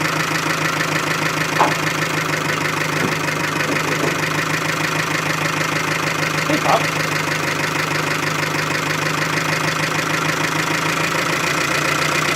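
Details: Chevy Aveo, about 100,000 km, oil drained, idling after restarting from a stall: steady fast knock about three per second under the engine note; bearings starved of oil.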